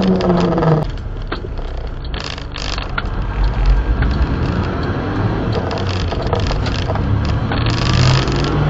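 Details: Azdome PG-16S dual dash mirror camera fitted in a mini truck, while driving: fast irregular buzzy rattle over road rumble from the camera's loose power button, a noise that spoiled much of the recorded video.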